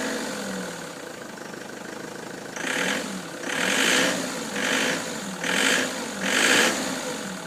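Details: Ford Transit showing codes P0149 and P1564: over a quiet idle, a hissing rush repeats about once a second in uneven bursts; abnormal noise, cause not pinned down.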